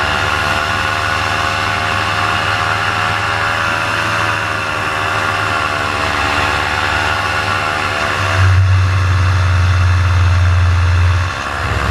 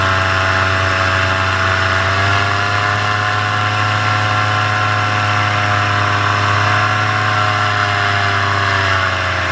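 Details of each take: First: Paramotor two-stroke in flight at full throttle: steady high buzz that sags and wavers as the RPM drops off and the engine bogs, losing power. The pilot heads in to land and check it; the cause is unknown. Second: Paramotor in flight, throttle held wide open: high, steady buzzing drone with constant pitch and no surging or misfire. This is the normal full-throttle baseline, recorded before the engine later began losing power and bogging.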